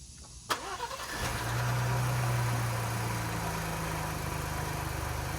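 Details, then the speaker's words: Rebuilt wrecked 2022 Ford Bronco, after a day or two of troubleshooting fuse-box connection faults: a short crank, then the engine catches and settles into a steady low idle; cranking and starting normally. "after after a day or two of troubleshooting y'all we finally figured out the problem pops was able to get that thing started for a quick turnover"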